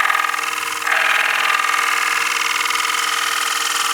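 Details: Bowl gouge cutting a bowl with shavings held against the outside to support it, steady even hiss with no stuttering rattle; chatter damped out, smooth cut.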